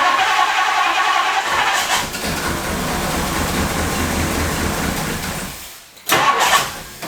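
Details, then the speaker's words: 1962 Ford Thunderbird Landau that sat for years, cranked on a jump box with 50-to-1 fuel: the starter whirs about five seconds without the engine catching, cuts out, then re-engages; a sticking starter solenoid is suspected. "The starter solenoid, if you hear that, the starter solenoid appears to be sticking."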